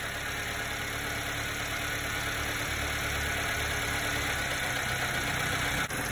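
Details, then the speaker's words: 1990s Subaru Sambar KS4 truck, hot engine, after distributor timing and idle mixture screw adjustment; even, settled idle just under 1,000 rpm, no stumble, nothing shaking in the cab; mixture now sitting right. "i like that i like that sound that seems really like look at that just under a thousand nothing's shaking in the cab"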